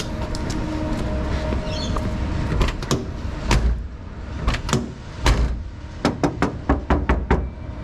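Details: Nissan Sunny truck (Datsun 1200) door before sound deadening. Sharp knocks on the bare door skin leave a thin, hollow ring after each hit. Floor and tunnel are already deadened, with the door still to be done.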